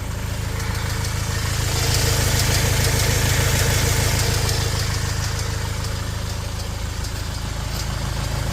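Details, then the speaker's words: Fiat Ducato 180 Multijet diesel idling: fast, even light ticking about three per second following the engine; accessory belt, tensioner and alternator were replaced and the turbo has done 20,000; noise located toward the rear, cause unknown. "Tuolla on naputus tuolla taustalla. Moottori kuulostaa käyvän hyvin."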